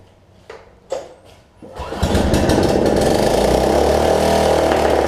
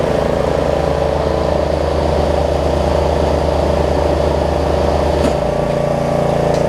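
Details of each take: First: Snapper rear-engine rider mower after bad gas, running on sprayed cleaner before the gas line is reconnected and the choke arm fixed: a few clicks, then it holds a steady high-pitched buzz; runs faster than it should, engine overspeed. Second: Snapper rear-engine riding mower, repaired after bad gas, test-run after the fix: the engine holds a smooth, even beat, shifts speed cleanly partway through and keeps running steady without stumbling; normal running.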